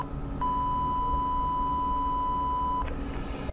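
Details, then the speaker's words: YR1035+ internal resistance meter emitting its measurement test signal, with the microphone held close: a clean, steady high beep of roughly 1000 Hz by ear, held over two seconds; a normal tone. "so that's the sound i'm talking about well after my musical year training i may say it's a kind of 1000 hertz"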